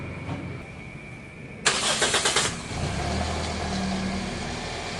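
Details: Toyota Altis after tightening engine cover plastic screws so the cover no longer lifts: brief cranking, then smooth, even idle with no vibration noise or rattle; the loose engine cover was causing the vibration.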